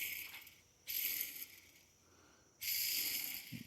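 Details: Clutch throwout bearing, removed during a transmission swap on a 2002 Subaru Forester 2.5 SOHC boxer and spun by hand twice: dry, gritty rasp fading as it slows; rough, worn bearing.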